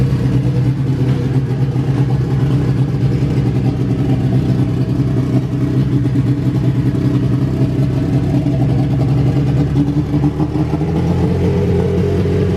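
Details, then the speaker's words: Honda Civic Si EK coupe, bone-stock B18C1 GSR with Precision turbo, new BKR7 plugs, high-impedance injectors checked: deep steady but lumpy idle, no clear misses or knocks, smells rich, "sounds cam"; rough rich idle. "so that's a problem we'll have to figure out why it's uh running funky"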